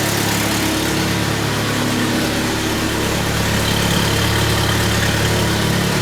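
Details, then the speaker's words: 1997 Jeep Wrangler 2.5L four-cylinder idling, recorded from inside before cat-back exhaust install: steady idle with raspy, puffing edge from a pretty good exhaust leak at the donut gasket down below. "okay got a pretty good exhaust leak coming from coming from the doughnut down there"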